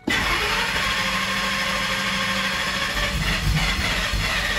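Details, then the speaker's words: 2002 Ford F-150 SVT Lightning, 5.4 L supercharged V8 rebuilt two years earlier, suspected blown head gasket and misfire: extended steady cranking on restart after the engine died, slow to catch; cause unconfirmed. "first thing i noticed is that sometimes it does have a pretty extended crank let's see if this thing starts right up or not you see it kind of died out right there let me go ahead and try it again"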